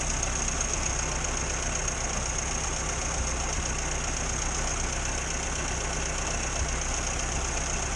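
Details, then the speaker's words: 1962 Morris Minor that broke down with a suspected ignition fault, restarted after everything was moved round and the distributor cap cleaned: steady, even idle with a constant low hum and no misfiring for now. "Well, as we know, everything's alright in a minute. There's been no misfiring."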